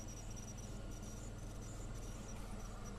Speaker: anyway i think i'm going to go in now my squeaky computer which is squeaky you listen to that it squeaks